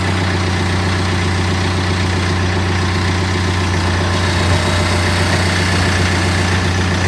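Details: BMW 120d diesel idling after clutch replacement with the dual-mass flywheel swapped for a solid flywheel: steady deep idle with a faint extra rattle underneath; normal, the rattle from the solid flywheel.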